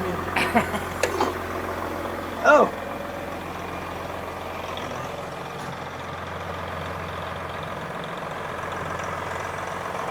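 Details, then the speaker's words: 1999 Volvo truck with a Detroit diesel, sitting since 2016 and restarted: a few early clanks, then a steady, low, even idle rumble with no knocks or misses. A normal, healthy diesel idle. "man that thing runs sweet don't it I think yeah"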